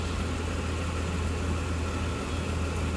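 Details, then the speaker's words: 2014 Dodge Durango 3.6L 4x4 with P0304 cylinder 4 misfire code, coil and injector already replaced, idling while warming up: smooth even low rumble, no skips, ticks or stumbles; normal idle. "it seems to be running pretty smooth I don't really hear anything so actually quieter"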